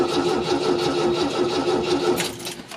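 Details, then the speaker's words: 1974 MGB with newly rebuilt engine, first start attempt, coil unplugged to crank for oil pressure; starter turns slowly at a lazy even rhythm, no firing; battery sounds weak, slow cranking. "all right it spins battery definitely sounds a little dead but i do want to uh want to check for oil pressure"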